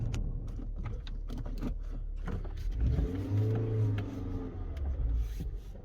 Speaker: It doesn't do it going in reverse. That's a bit weird. Just forward.